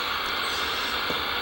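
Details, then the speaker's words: CB radio on channel 16, main antenna, receive noise 7-9 dB on signal meter before MFJ-1026 noise canceller adjusted: constant hiss of static with no signal beneath it; receiver picking up interference noise. "I'll turn this back up and you can hear all that noise for me through radio"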